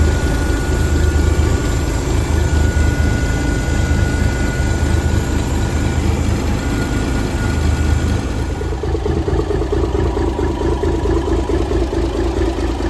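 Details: 1978 International Transtar II cabover, first start after sitting 3 years during restoration: deep, steady idle with an even, unhurried beat, no knocks, misses or rattles; running healthy.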